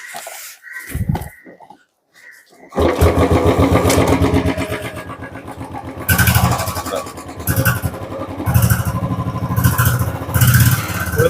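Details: Royal Enfield Bullet with a fully charged battery, started after repair work and fitting a new ammeter. It catches after a short crank and settles into a steady, even single-cylinder thump with no knocks or misses; healthy.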